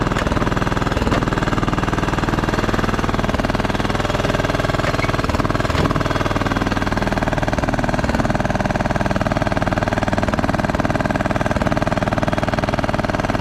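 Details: Craftsman T1200 riding mower, single-cylinder engine running with coarse uneven pulsing about four times a second; compression seems very high, hard on starter; owner suspects valves, rough running cause unconfirmed.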